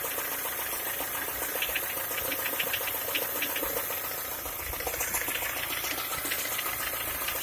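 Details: Skoda Octavia A5 1.6 MPI at idle: fast, uneven light tapping around three or four taps a second over the engine note; engine knock, source unknown.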